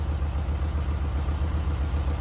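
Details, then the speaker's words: Dream car on road trip home, idling at a motel after valve adjustment and fuel lines rerouted away from block for suspected vapor lock; even steady low putter, regular firing, no misses or ticking, best it has run: normal idle. "This baby run. This is the best it's run the whole trip right here."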